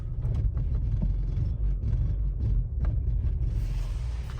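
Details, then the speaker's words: Opel Zafira A on petrol at idle after unit programming: deep uneven stumbling rumble; misfire persists as expected, stored error for incorrect camshaft sensor signal, cleared immobilizer fault; car only runs properly on LPG. "троїть машина троїть це очікувано і передбачувано некоректний сигнал від датчику роспридвалу в історії"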